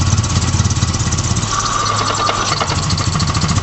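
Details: Honda Prelude H23A1 that starts only with the throttle floored: engine chugs at a low, lumpy beat and won't rev past 500–600 rpm even at wide-open throttle. Cause unclear.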